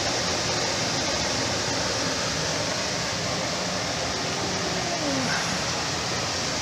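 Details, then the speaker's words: Jet air filtration system after a repair for the motor humming without starting: steady, even rush of air with constant fan hum, no knocks or rattles; running smoothly again. "Okay, guys, I got it working. I got it working, and I'm happy about that."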